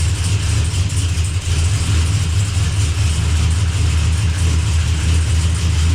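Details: Chevy Blazer just after its transmission and transfer case were reinstalled, started just after midnight while the shifter is moved through the gears to circulate fluid: a steady, even low rumble with no knocks, clunks or whine; normal idle, sounds healthy.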